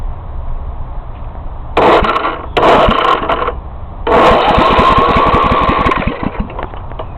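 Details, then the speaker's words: Snapper rear-engine rider mower, 1993 overhead-valve engine about 17 years old, in neutral: several starter bursts with strong, even compression pulses about three per second; turns over healthily with good compression. "yeah turns over good has good compression you can hear ya"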